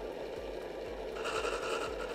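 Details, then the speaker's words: DeLonghi PrimaDonna Elite Experience after repair, hot chocolate jug with chocolate powder at start: steady low motor hum with a soft repeating swish as the stirrer spins up, even and free of grinding; stirrer mixing normally. "it should be a liquid but I'm impressed Listen, it works"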